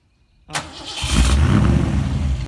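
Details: Fox-body rebuilt high-output 5.0 V8 (Comp XE270HR cam, Flotek heads, Trick Flow intake) after Walbro high-flow fuel pump upgrade; short crank, catches cleanly, steady even idle, starts normally.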